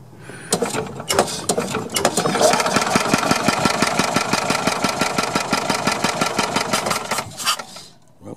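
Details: Yamaha G2 gas golf cart, long neglected, fuel line disconnected from carb to test fuel pump: quick even chugging of the starter turning the engine over, about six beats a second, spinning freely without catching; normal cranking, fuel pump confirmed working.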